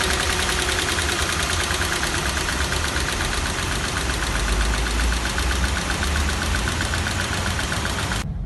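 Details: 2012 Toyota 86 engine idling with a fine, even rattle over the running note, also heard inside the car; owner asks whether it is normal, source unclear.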